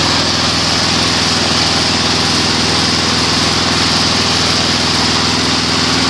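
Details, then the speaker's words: Weed Eater 22-inch front-wheel-drive mower, Briggs & Stratton engine, rescued from trash and repaired: smooth even high-revving buzz at constant speed, no surging or skipping; analyzer shows about 2450 rpm low, 3100 rpm high (max 3200); running normally. "about 24.50 at low speed it shows at high speed 3100 perfect it's good enough"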